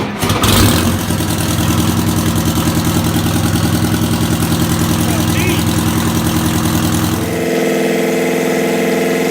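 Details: WMT 4-115 diesel, first start in three months after paint, out of gear, brakes on: cranks, catches quickly and settles into an even idle with no knocks or misses.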